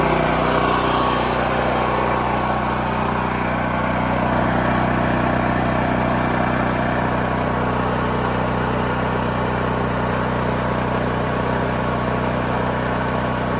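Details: New Holland Agriculture 6500 W generator, engine freed after seizing from running low on oil; restarted with valve cover back on, spark plug installed, fresh gas, choke pulled. Smooth, unbroken hum holding one speed, no knocking or surging; running normally.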